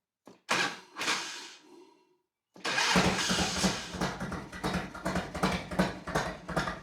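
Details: 1991 Harley-Davidson Electra Glide V-twin that only clicked and wouldn't crank, after cleaning corroded battery terminals: a few clicks, pause, then cranks and catches into an uneven loping idle; starts and runs normally.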